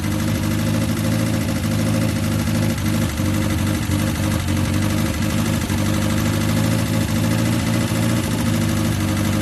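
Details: 1969 Ford Capri, replacement carburettor with smaller choke, choke on: low idle with occasional dips and uneven beat; rough idle, solenoid suspected, unconfirmed.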